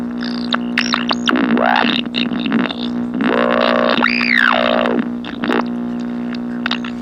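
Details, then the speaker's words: GE H-500 (H-500U) AM tube radio playing music harsh and buzzy with steady hum, weak volume, distortion and clipping peaks; suspected bad capacitors and tube biasing, set needs recapping. "All the problems that you hear there with the lack of volume and the distortion and the clipping sound, that is all due to bad capacitors most likely, and biasing on the tubes."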